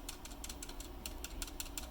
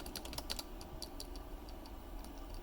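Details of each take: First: Keyboard with what is likely an authentic Cherry stabilizer pressed and released: sharp clicky rattle about twice a second, even when gently touched; compared against 3D-printed stabilizer. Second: Final version of a 3D printed keyboard stabilizer with clips and increased internal tolerances, compared to a Cherry stab: soft, even key taps with no rattle or ping after each press; well damped.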